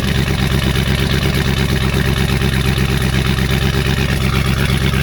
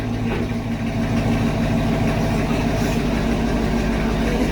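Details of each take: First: 2019 Camaro SS, 6.2 L direct-injection LT1 V8, with a stuck-open fuel injector: lumpy uneven idle with irregular lope and a mid-clip stumble like a dead cylinder; misfire from stuck injector. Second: 2019 Camaro SS, 6.2L direct-injection LT1, after stuck-injector repair and oil change, burning residue from the exhaust: even, settled idle with a smooth low beat, no stumble or misfire; check engine light on but driving fine; normal idle.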